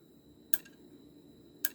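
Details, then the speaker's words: Hard drive brought in for data recovery: sharp, repetitive clicks about once a second over a faint steady whine. This is the click of death. "this is what we in the computer industry call the click of death okay it's a repetitive sound very unmistakable"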